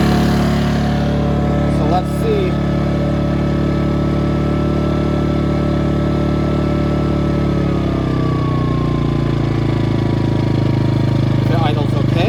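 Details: Ryobi RYi2322 inverter generator bought as a non-runner, now running after clearing a carb jet blocked by fuel left in the bowl; app shows 0.1 hours runtime. Even, steady clean drone, then revs ease smoothly down to a lower idle; runs normally.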